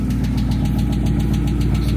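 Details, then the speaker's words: Dodge Scat Pack V8 jump-started with a dead battery after fuel pump work: rapid steady ticking over a rough, lumpy idle, loud and standing out; bad tick from the engine, cause not confirmed. "I hear some ticking [Applause] man that's not good guys why is the we here ticking coming from this damn motor that's a tick that's a bad tick I don't like it at all"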